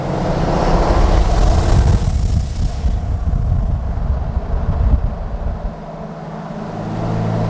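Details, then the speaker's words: Diesel pickup under heavy load in third gear while towing a camper, no boost building: loud airy whoosh over the diesel roar, not turbo spool, heavy black smoke; boost leak. "So I hope you guys could hear that really loud and obnoxious whooshing sound. And we're just puking coal like no other. So we're getting way too much fuel and not enough air. So I got a boost leak somewhere and we gotta find it soon"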